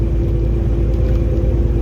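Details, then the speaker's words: Automatic semi truck climbing a medium incline under load: heavy low diesel drone with a steady buzzing on top, meaning it is geared too high and lugging; buzzing stops after downshifting and locking into 11th. "But anyway, in the automatic, I don't know if y'all can hear that buzzing, but that's a clear indication that you're geared too high. You need to downshift."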